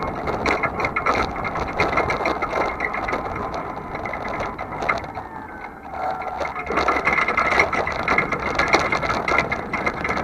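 Constant rapid, uneven metallic clatter that eases briefly then returns while driving: loose metal-on-metal play at the trailer hitch.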